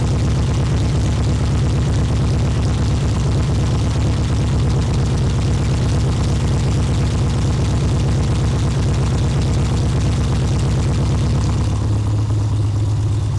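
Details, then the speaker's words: 1972 VW Super Beetle at steady idle after an electronic ignition conversion and static timing: deep, boomy exhaust note much louder than it should be; an exhaust leak is suspected but not confirmed. "this one for some reason sounds a lot louder than it should so I don't know if we got an exhaust leak going on or what"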